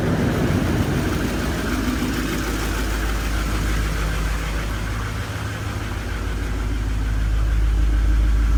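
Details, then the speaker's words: 2015 Duramax HD diesel cold start: a deep, even rumble that settles into a steady idle with no knocks or misses. It sounds like a healthy cold start. "sounds good a nice idle tour"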